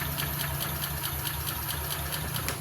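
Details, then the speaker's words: Honda Beat CBS electric starter cranks long with an even chuff about five times a second but won't catch. The scooter is hard to start, weak, and stalls unless the throttle is held. "Starternya starternya lama sekali. Nah, motor ini ketika kita engkol dia mau hidup."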